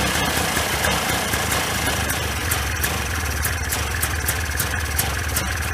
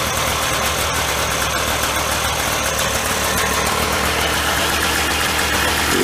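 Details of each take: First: 1995 Polaris Scrambler 400 2-stroke 4x4 ATV before repair, gas sprayed at PTO-side crank seal: loud rattly, uneven surging idle with hanging throttle; crank seal sucking in air and gas, lean idle condition. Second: 1995 Polaris Scrambler 400 2-stroke 4x4 ATV after replacing the leaking PTO-side crankshaft seal, which had caused a lean idle: steady, even idle with crisp rapid popping, no wavering or knocking, normal running.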